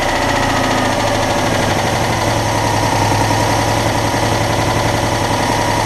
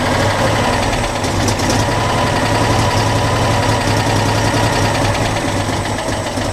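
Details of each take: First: Citroën Dyane 6 air-cooled twin after its carburetor was cleaned and all jets removed and cleaned. It had been cutting out at idle, and the owner suspects an air leak at a gasket. Now an even, regular low beat with no stumbling: normal idle. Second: Citroën Dyane 6 twin, won't hold idle and cuts out, dirt passing the fuel filter; lumpy idle hunting three to four beats a second with uneven pops: dirt in carburettor causing unstable idle.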